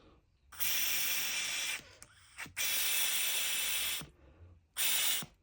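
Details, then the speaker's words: Removed PCV valve tested by blowing through a hose from the crankcase side: bursts of rushing air cut off sharply as the valve snaps closed each time; valve seats properly, good. "look, you hear the sound is closing. This is the second test using the hose."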